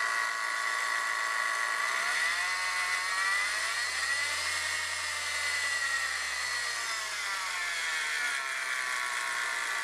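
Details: Saturn engine running: steady high whirring whine shifting in pitch with revs, first thought to come from the camshaft sprocket but found to be a bad idler pulley bearing.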